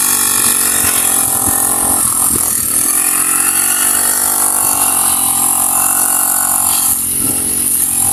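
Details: Honda GX35 grass cutter after cleaning its dirty carburetor: small engine buzzes high and fairly steady, with a couple of quick blips that pick up cleanly. Normal running.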